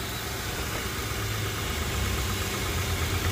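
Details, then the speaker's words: 2004 Honda Pilot 3.5L with a new fuel pump, previously a crank no-start with dead battery, now started with coil cover off: steady, even low rumble with no misses, knocks or hunting; normal idle. "Yeah, it's actually running pretty smooth. So I'm kind of surprised."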